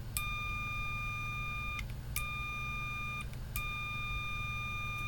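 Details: Multimeter continuity test with probes shorted, aircon off: a steady high beep of about one and a half seconds, repeated three times over a low hum. A continuous tone means a short, while a diode junction gives one quick bleep.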